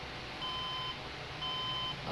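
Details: HP desktop at power-on: long, steady high beeps about a second apart, beep code changing from 6 to 5 beeps; two memory slots found faulty.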